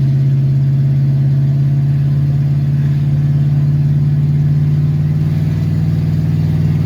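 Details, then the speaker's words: 1971 Plymouth Satellite wagon after professional transmission rebuild, driving around 50 mph: loud, steady high-rev engine drone that never drops, the automatic has not shifted into third; staying cool, oil pressure low. "Still hasn't hit third. And it still staying cool. Roll it here about 50. I don't have a clue what the RPMs are, but they're really high."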